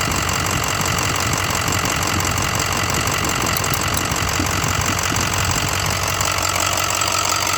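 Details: 2006 6.0 Powerstroke diesel idling with a steady clatter and a loose knock about three per second; lifter tick or rod knock suspected, not confirmed.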